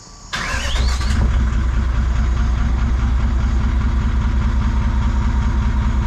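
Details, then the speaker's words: Toyota 1VD V8 turbo diesel swapped into Jeep J200, first start after fuel system work with fuel pressure now present: cranks, catches quickly and settles to steady even idle, no misses or knocks; normal idle. "it runs it runs right pretty stoked about that so that is a running 1 VD powered j200"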